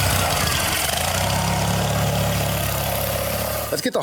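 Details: Vintage 1980s Simplicity Sunstar, first run after sitting, being bottle-fed fuel with a choke that seems not to work while warming up: engine lopes and stumbles with an uneven beat before cutting out; running rough.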